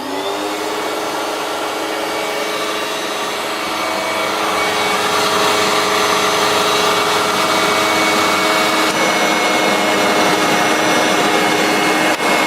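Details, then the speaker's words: Hoover Turbomaster U5094 upright vacuum after refurbishment, running with brush roll off: steady, smooth high-pitched motor whir with no grind or rattle; both motor bearings had been seized, one spinning on the armature shaft, now fixed. "It sounds very smooth now. Both the motor bearings were seized."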